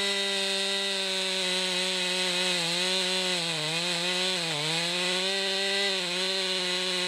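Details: 2020 Stihl MS261 chainsaw, non-M-Tronic standard-carburetor version, 20-inch bar, cutting oak: high steady scream dips briefly as it bogs into the wood and recovers each time, pulling strongly and running clean; normal cutting under load.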